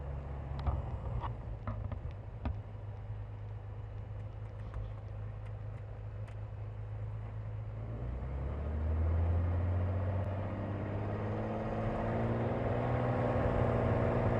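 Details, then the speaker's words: Cirrus SR22 on takeoff after annual: uneven, pulsing rough drone; cause was a missing gasket on the #2 cylinder fuel injector, running lean. "this plane is running extremely rough just bouncing around like crazy i've never had the plane act like this before"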